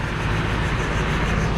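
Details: AC condenser fan assembly after a 1:1 swap with a part from a vacant unit: steady, even whoosh with a low hum and no rubbing or scraping; the replacement fan runs smoothly and healthy.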